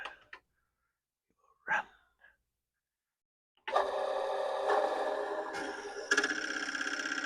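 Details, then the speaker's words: Commodore PET 4040 dual disk drive, fitted with a replacement main board, formatting drive one with a torture disk; takes about 10 minutes warmed up before it behaves. Quiet at first, then busy mechanical chatter with head steps about four per second; formats normally. "that is formulating drive one so whatever ails this drive and it takes about 10 minutes of it being on to warm up so that it's okay"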